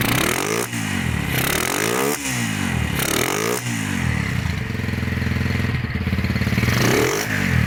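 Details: Honda GL100 (GLK 100) engine from Palembang after restoration, with CDI installed and a new tensioner blade: three quick, clean revs, then a steady, even idle with no rattles or clatter. Sounds healthy.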